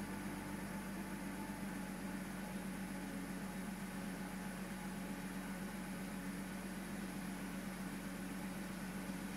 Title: Z4 rough idle